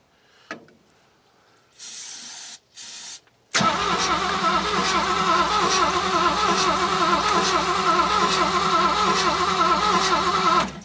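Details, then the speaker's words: Classic Ford Mustang with a swapped engine, sat for years, fuel pump being primed, battery possibly low: starter churns at a steady, even rhythm for several seconds but never fires; the ignition coil was switched off, so there is no spark. "I don't. Oh, got to turn the coil on. Whoops. Still no dice."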